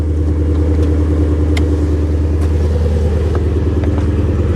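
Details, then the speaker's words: Salvage Mustang V8 on jump start, no coolant so run briefly: deep even V8 burble about three pulses a second, steady and strong, no knocks, healthy idle. "man, it sounds so damn good."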